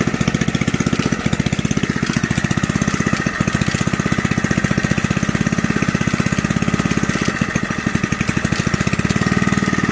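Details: Old junkyard Briggs single-cylinder from reel mower, cold start on choke, bench-mounted: fast regular popping at steady idle with light rattle on top; owner suspects clatter from the recoil, not confirmed.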